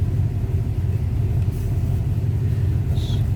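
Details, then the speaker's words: 1935 Ford Model 48 flathead V8, manual 3-speed, after fuel tank clean, fuel lines blown, carb cleaned and set: low even rumble with steady beat, no misses or knocks; smooth idle. "Smooth running flathead."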